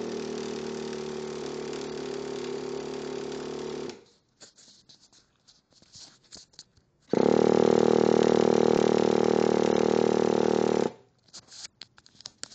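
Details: Traxxas nitro RC engine with EZ-Start, new glow plug, fresh fuel, not flooded, ran the day before: two bursts of high-pitched starter whir with no firing; cranks but won't start, cause unknown.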